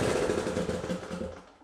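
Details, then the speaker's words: Riding mower Briggs & Stratton Intek engine after camshaft decompression (compression release) repair and engine refit: rapid even firing then winding down; starts and runs normally. "so it worked so if you've got a riding mower or anything with a Briggs and Straton inch engine and you've got a decompression issue hopefully this showed you the steps involved so you can tackle it yourself"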